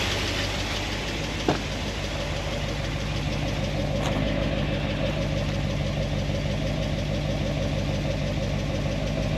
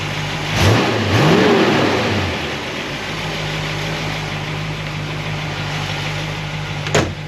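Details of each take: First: 1976 Corvette engine with solid roller lifters on a hydraulic roller cam, warm idle after a heat cycle (about 200, thermostat open), valve lash reset from 10 to 5 thousandths; light fast uneven ticking remains but quieter than before, pushrods rubbing their guide plates. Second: V8 with solid roller lifters, warmed up (about 200°) after valve lash adjustment and a guide plate fix for the valve-train noise: after a blip it settles into a steady even idle, with slight noise on the passenger side. Normal idle.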